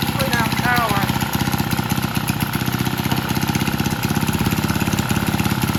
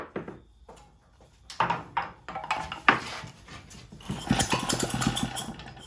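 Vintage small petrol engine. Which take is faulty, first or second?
second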